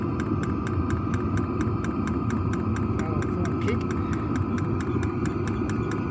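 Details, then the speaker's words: New diesel heater just installed in a Jayco Freedom caravan, heard from outside near the exhaust after start-up: steady, even combustion roar with a regular fuel-pump tick about four times a second; normal diesel heater running. "Turned it on, glow plugs heating up, pump's going. Certainly kicking in. You can hear it ticking away outside, that's for sure."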